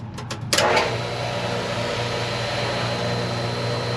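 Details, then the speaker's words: Ranch water well pump restarted after refilling a barrel and draining water down the pipe to force it to prime: a few knocks, then a steady, even low motor hum; pump running, but whether it is priming can't be told. "now i'm gonna let a little water drain down that pipe and we're gonna fire it back up we're gonna force it to prime"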